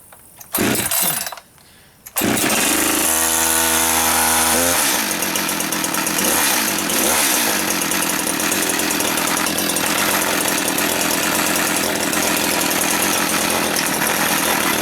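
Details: Brand-new Echo CS-620P chainsaw, first start ever: hard pulls with choke, then catches and holds a steady high buzz with no stumbling; running clean.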